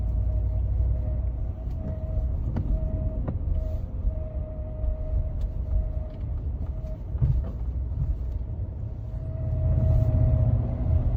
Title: Squealing/whistling 2015 f150 - Bad Water Pump